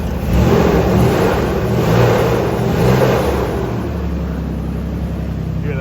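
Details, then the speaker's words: 3.0 Ford Ranger at idle after a new cylinder head replaced one with a bad exhaust valve seat; a constant whooshing fan roar never drops off because the clutch fan is stuck on. "also the clutch fan is stuck on fan never turns off so that's an issue"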